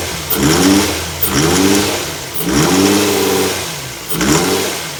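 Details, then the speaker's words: Infiniti FX35 engine: four clean throttle blips, the revs rising and falling smoothly with no knock or tapping; running and revving normally. "Sound of a splendary, beautiful, lovely sound."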